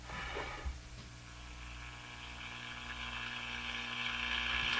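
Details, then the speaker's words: Crosley Model F-5 radio: steady low hum under thin, garbled buzzy output that slowly grows louder; swapping the tube changed nothing, so not the tube; hum cause not found. "Sounds the same to me. >> Yeah. Still garbly. Well, it's not the tube."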